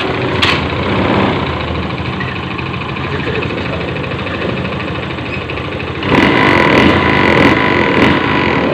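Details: Honda fuel-injected motorcycle after fixing MIL blink code 8 (TPS sensor error) and hard idle, idle adjusted: small single idles with a fairly even patter around four beats a second, then picks up briefly; idle now settled, normal.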